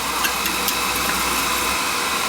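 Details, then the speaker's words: Oil burner on a no-heat call fires right up on a call for heat after fixing no spark from carbon on the electrode and raising pump pressure; steady hissing roar without puffing or pulsing, normal burner firing. "Call for heat. Fire right up. Oh, you got that carbon on the electrode, so it wasn't sparking cuz it had carbon on it."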